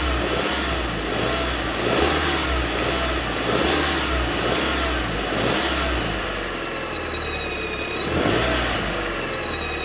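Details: Audi Mk2 8J TT idling: faint, thin high-pitched whine over a steady hum from the V-belt drive area, still present with the V-belt removed after the alternator pulley, tensioner pulley, belt and aircon clutch pulley were changed.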